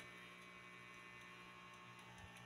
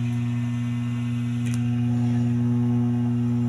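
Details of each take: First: DB Audio integrated amplifier after replacing four transistors for DC-out fault and resoldering tone control: faint steady low hum and quiet hiss, no loud drone; minor hum left because components not yet grounded. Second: DB Audio integrated amplifier after replacing four transistors for DC-out fault: steady low mains buzz with higher overtone at constant level while audio works; hum traced to a lifted ground pin on the tone board.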